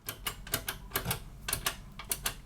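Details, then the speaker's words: Checkmate 1500 desktop case push-button switch after resoldering its loose pin: crisp, sharp clicks, several each second, clean snap each time; switch fixed and working normally. "yeah sounds good okay switch is fixed"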